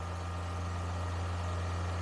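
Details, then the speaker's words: Engine with a high idle issue on a cold day, started and holding about 2500 rpm with a steady, fast, smooth drone and no dip or hunting. It smokes quickly with a foul smell; a possible blown head gasket is suspected. High idle. "you notice how many RPM it's at 2500 that's actually not terrible for a cold day"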